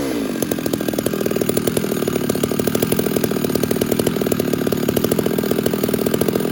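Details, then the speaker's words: Stihl 066 chainsaw that was starving for fuel in the cut, carb now richened ('fattened up'). A loud full-throttle buzz with a steady gurgling burble rather than a thin scream; it cuts better now, healthy rich four-stroking. "now I just basically fattened it up a little bit and you hear that little girdle I'll show it to you again I'll show you the sound it's cutting better now"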